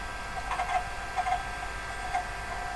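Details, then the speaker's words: Vintage IBM PC hard disk while TASM make assembles and links several files: soft irregular ticking and chunking over a steady hum as the heads seek. Normal but fairly slow, and wearing on the disk during large builds. "One thing here, you can probably hear the hard disk chunking away there, and it's fairly slow."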